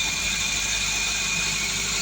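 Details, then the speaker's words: 2014 Suzuki Swift Dzire after ECU repair fixed a month-long crank no-start with lost ECU communication: steady, even idle with no misses or knocks, smooth hum and some high hiss. "the ECU now is fixed and working"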